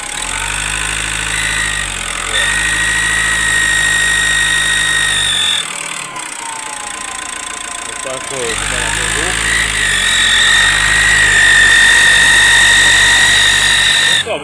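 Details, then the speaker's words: Ford Focus 2 1.8 turbodiesel: idles, then revs with a high whistle rising and falling with speed; persists with accessory belt removed and clutch pressed; upper timing belt roller suspected, not confirmed. "Ford Focus 2 1.8 турбодизель какой-то посторонний звук перегазовки ремень навесной снимали не уходит при выжиме сцепления двух не уходит ва"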